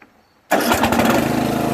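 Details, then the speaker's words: Craftsman 13.5HP 30-inch riding mower, starting after the faulty safety-switch wire was removed from the magneto: brief crank catches, settles into quick even firing; healthy start, muffler needs tightening. "but I'm gonna start it up now all right here there's nothing almost almost had it guys it turned over"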